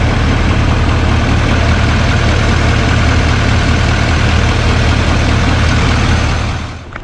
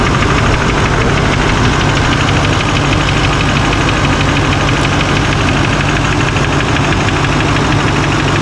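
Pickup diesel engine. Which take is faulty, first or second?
second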